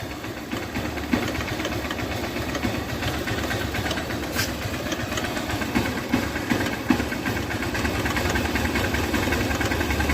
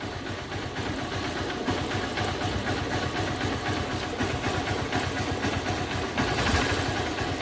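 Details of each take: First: 2008 Hero Honda Hunk motorcycle, about 16 years old, cold idle: loose tick-tick over the engine, two or three a second; owner suspects piston or timing chain, cause unconfirmed. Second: 2008 Hero Honda Hunk motorcycle, about 16 years old, cold start after sitting 17–18 hours: steady, even idle with a soft regular beat and no top-end ticking. The earlier tak-tak cold-start noise, which faded after 5–10 km, has stopped.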